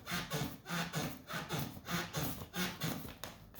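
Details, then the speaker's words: Squeaky main floor: rubbing creaks repeat about every half second as weight shifts when stepped on; a loose subfloor nail visibly moves in its hole. "the main floor is how would you see there's a nail all right you can see the nail that's moving when you step"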